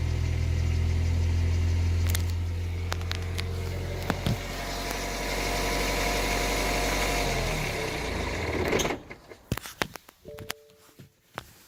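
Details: BMW 123d with N47 engine, recorded from inside the car at idle: fast, even metallic rattle about three per second over the idle, timing chain noise.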